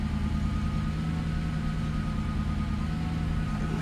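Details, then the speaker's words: 1997 Lexus SC400 V8 idling with a slightly lumpy, uneven beat and occasional deeper exhaust sound shaking engine; code P0307, cylinder 7 misfire, shaking at stoplights, traction control light blinking. "You can hear it from the exhaust too. It has like that deeper sound, like every now and then. It'll make the engine shake."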